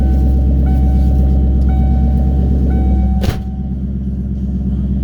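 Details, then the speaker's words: 1998 Mustang SVT Cobra V8 at cold idle: deep, even rumble with no tapping or rattle; owner says tapping starts once warm, mostly between 2,000 and 3,000 rpm. "but I want y'all to hear that when it's cold there's absolutely no tapping sound at all"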